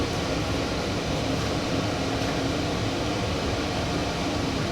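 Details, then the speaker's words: Monarch Merit 16-inch lathe bought as non-runner, converted from failed DC drive to AC drive: steady, smooth airy whir with constant low hum from the added cooling fan, no rattle or rubbing; running normally. "so you can hear the uh the cooling fan that i added there"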